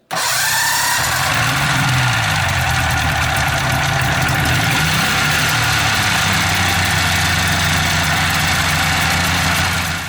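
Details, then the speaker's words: Started with Yesper Armor jump starter after it showed ready: cranks well, catches right away and settles into a steady, even idle with no misses or knocks; normal start and idle. "it says it's ready to go so throw it over and just see how well it cranks certainly cranked nice"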